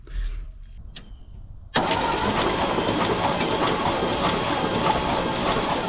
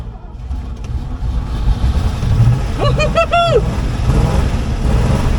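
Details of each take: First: 1970s Chevrolet C-10 Custom truck sat 30 years, cranking on starter: spins steadily about three turns a second but never fires; no spark seen, points corroded, to be cleaned. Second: 1970s Chevrolet C-10 Custom V8 sat 30 years, after cleaning clogged carburettor and main jet: catches and settles into a steady low rumble with brief squeak, running evenly; idle set too low, oil cap blown off.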